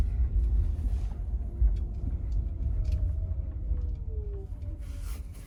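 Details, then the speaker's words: 2023 Genesis GV60 driving in cold weather (about 46°F, Alabama), after felt tape was wrapped around the hatch's four alignment points: only a low, even road rumble with no rattles or knocks from the rear; the hatch noise is gone. "then we came back and we put the felt tape around those four alignment points of the hatch and then we drove it again and you saw the noise went away"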